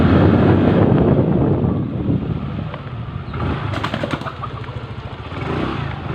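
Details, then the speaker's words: Yamaha Mio MX i 125 scooter after top-end overhaul: revs then drops to a smooth even idle with no tapping or rattle; the earlier noise is gone. "Ayan po. Wala na yung ingay kanina."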